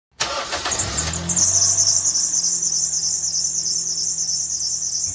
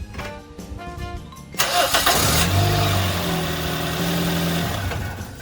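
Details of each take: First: Toyota Yaris (2006–2020) engine just started: loud steady shrill squeal over idle from a loose serpentine belt slipping on its pulleys. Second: Toyota Yaris engine after the serpentine belt was tensioned by prying the alternator forward, no belt change: it cranks, catches and settles into a steady idle with no belt squeal, over background music.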